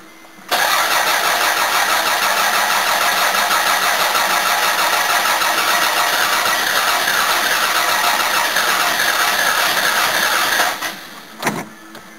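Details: Toyota Camry starting after earlier trouble where it wouldn't crank; water added, transmission lines not yet connected. Brief crank, catches cleanly and settles into a steady, even run for about ten seconds, no knocks or misses.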